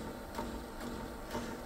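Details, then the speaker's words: Sony SL-F1 Betamax VCR from eBay, likely unused for a long time, making odd noises during playback: a soft pulsing thump about twice a second over the tape running noise, a motorboating beat whose cause is not yet clear. "so I think some odd noises it's like a a motorboating"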